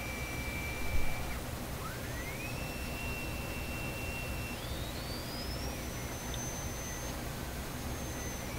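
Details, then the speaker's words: RCA Victor RC-1064 five-tube radio during final alignment at 455 kHz with a signal generator tone. Over steady hiss, thin high whistles slide and hold at shifting pitches: heterodyne squeals from other incoming signals beating against the generator tone. "There's 455. You hear all kinds of heterodyning in there, these high-pitched whistles. All we should really be hearing is that sound there, that higher tone. That's my signal generator. Those two tones. The other tones are heterodyne from other signals coming in."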